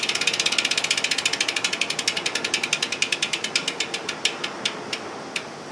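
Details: 2010 SRAM S60 rear hub freehub (SRAM Red OG-1090 cassette) coasting: loud, crisp ratchet clicks about ten per second, slowing as the wheel coasts down; very noisy but normal freehub pawl sound.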